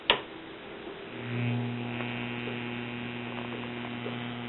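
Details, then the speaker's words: 1936 Grunow tube radio (6A7, 6D6, 76, 41, type 80 rectifier), non-working, powered through a 100 W bulb: loud steady 120-cycle hum with no reception, sounding like bad filter capacitors. "now this radio came to me non working and whenever I fired it up we had 120 cycle hum that's sounding like bad filters and no reception which I will demonstrate shortly"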